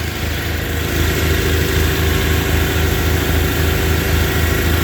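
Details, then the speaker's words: Tractor engines cold-started, one on 20-50 oil, one on 5-40 diesel oil: steady, even putter at about 200 beats a minute on a third-to-quarter choke, no stumbling or stalling. Normal cold idle. "I leave the chokes on about a third a quarter uh for 30 seconds to a minute let them warm up there's no stumbling there's no stalling"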